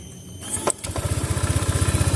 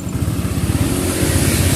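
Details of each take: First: Fuel-injected motorcycle after TPS sensor temporary fix for stumbling on throttle: catches on first crank and settles into even idle of about eleven firm pulses per second; throttle response normal again. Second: Motorcycle on a cold engine: idle is normal, but on throttle it stumbles, sags and nearly dies as if starved of fuel, and is fine once hot. Uneven struggle to pick up revs; throttle position sensor fault.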